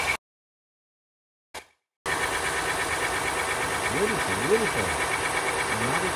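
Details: 2015 Honda Pilot 3.5 L i-VTEC after timing belt, tensioner and harmonic balancer work for an engine noise: after a short dropout the engine settles into a smooth, even idle with no knocking or ticking.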